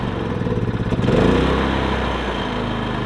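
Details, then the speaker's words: Predator 3500 inverter generator with 18 hours of run time, before cleaning: a steady small-engine drone surges and sags around one second, then settles. The engine stumbles, and the owner believes the spark arrestor is clogged. "I believe what the issue is is the spark arrestor slug but I'll show you what it's doing now"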